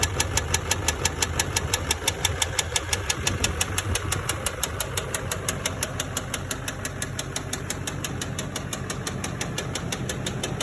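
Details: LBZ Duramax diesel truck that had gasoline put in it, which contributed to a spun rod bearing on the crank: sharp, evenly spaced knock about three times a second over a rough diesel idle.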